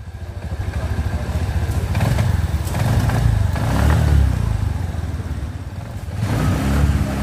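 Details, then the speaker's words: Suzuki Spin 125 scooter, starter repaired, spark plug replaced without change: engine stumbles and pops unevenly as throttle opens, revs surging and sagging, a real misfire; cause not yet found. "jadi ketika motor ditarik gas itu suaranya BR seperti itu Nah seperti ini bret bret bret bretet seperti"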